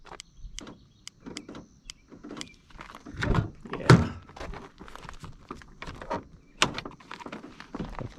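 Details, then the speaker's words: 2006 Honda Ridgeline, engine off: the power door lock actuator makes an irregular string of sharp clicks and dull thunks while trying to cycle during remote programming; the actuator is broken. "there we go it's broken yeah this is broken you can hear trying"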